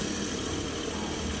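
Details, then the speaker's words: DA16 mini van after bearing replacement: even, steady engine hum, no squeal or chirp from belts, accessory drive now quiet; normal idle after repair. "hindi na masyadong maingay."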